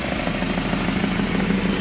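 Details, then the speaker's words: H23A-swapped Honda Accord with a morning-only no-start, after replacing the suspected ECT sensor: steady, even idle with a smooth low hum, no knocks or misses; sounds healthy. "running it sounds pretty good it's pretty darn good"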